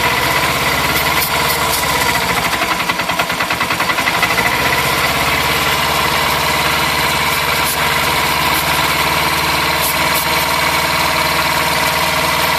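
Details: 1982 Yamaha XS400 Seca twin, warm, choke off, idle set ~2000 rpm, 80°F: fast idle sags and stumbles near stalling then recovers; starter-fluid test shows carb-side boots leaking despite tight clamps, suspected vacuum leak causing inconsistent startup/idle.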